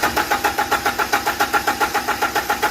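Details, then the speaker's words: 2010 Toyota Hilux 2.7 VVTi petrol, pipes disconnected: steady starter cranking with a faint constant fuel-pump whine, but no fuel pressure, only a drip; it never fires. Crank-no-start; in-tank pump unit suspected, fuel gauge also not working. "Okay. Although you can hear the pump working, but there's nothing, no pressure. It's just a drip coming out, even when it doesn't crank."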